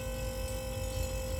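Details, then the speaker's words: Refrigerator compressor restarted on its original overload and PTC after repair of a not-cooling fridge, current about 0.95 A and dropping: constant low hum, steady mid-pitched tone, no clicking or labouring; compressor running normally. "Oke, mudah-mudahan jalan. Nah, ini sudah jalan dia."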